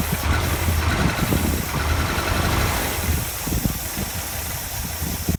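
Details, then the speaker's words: Rover SD1 running off its own fuel tank during restoration: steady rumbling idle with constant loud airy hiss like a leaking oxygen tank; leak source not yet found. "engine is running off its own fuel tank which is a huge step forward in this restoration but unfortunately it sounds like a leaking oxygen tank"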